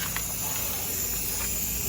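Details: KTR 450 narrow gauge machine at factory inspection: constant sharp hiss with no engine rhythm, compressed air leaking at a loose solenoid valve fitting; compressed air leak.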